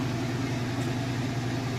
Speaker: Sounds great. It's not wobbly. No weird noises or anything. Spinning nice and super fast.